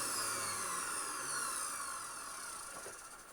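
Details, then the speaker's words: Dyson DC41 vacuum: high, rough motor whine with a gritty warble, slowly falling in pitch as the motor winds down; motor bearings believed worn out, though it may keep running. "And I think the motor bearings are just knackered. To be completely honest with you, it probably would run okay like that forever, but I don't want to sell things that have issues like that."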